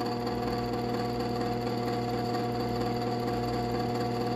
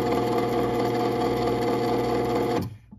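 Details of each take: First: Genie Pro screw-drive garage door opener CM7600IC/A, 1/3 hp, motor freed: quiet steady drive hum with a light buzzing rattle from a loose mounting bolt that won't tighten. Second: Genie Pro Screw Drive CM7600IC/A garage door opener whose motor needed freeing, now working (owner earlier noted a slight clunking): smooth, steady motor hum with faint regular tick through travel, stopping cleanly; normal running.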